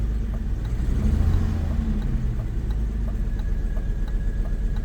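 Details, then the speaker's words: 1991 BMW 750iL V12, a storage-unit find in limp mode with no check engine light: it has a deep rumble, is slow to rev and settles back unevenly with a misfire; the plugs are to be checked. "I can move it back and forth and I can rev it. Yeah, she's slow to rev. There's some things we're gonna have to check on."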